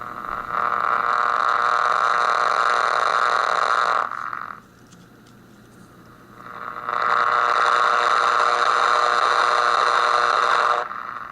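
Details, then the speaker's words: PT80 delay pedal recorded into a laptop mic input, level at maximum, time at 10 o'clock, after a cap was reinstalled. Any increase in repeats gives a loud sustained tone near 1 kHz that swells, drops out and returns; runaway feedback regardless of time or level, cause unconfirmed. "I got the level all the way up, but as soon as I turn the repeats up any, it just goes crazy real quick. And it doesn't seem to matter where I have the time or the level, it happens regardless."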